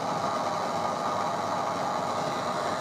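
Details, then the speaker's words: PC audio amplifier at full volume, silent with audio unplugged, but with only the left signal wire connected and no signal grounds (ground via power ground only) a steady buzz with thin whine appears; electrical interference. "just the signal wire up so the ground is not connected so the only ground it's getting is through the power ground right so i've only got the left signal connected i haven't got the left ground connected or any of the other grounds and as you can hear we've got this awful noise"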